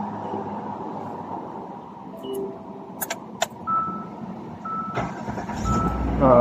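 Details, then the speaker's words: Hyundai Santa Fe that had cranked but not started starts normally and runs up steadily. The cause was no power to the fuel pump from a loose blue harness connector, and this start is after reconnecting it. "The car is good. So the problem is here the connector is a l connection."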